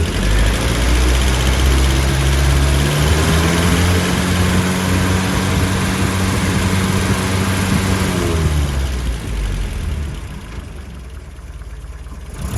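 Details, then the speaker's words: 1977 Land Rover Series III 88" with 2¼ five-main-bearing engine, after cleaning blocked carburetor jets that caused fuel starvation: steady even low drone with no misses or knocks while driving; running normally. "We've just taken Nelly for a drive and this vehicle is running beautifully."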